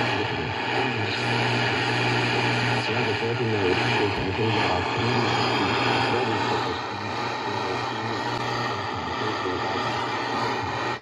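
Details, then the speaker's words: Analog radio after replacing antenna and interstage coils, external longwire antenna on, 7 pm with strong QRM: clean reception with band crackle and hiss, no squeal; self-oscillation fault gone. "O defeito sumiu. Estamos aqui ligados, inclusive eu liguei a antena externa, a nossa Langware, que nos traz um sinal mais forte ainda,"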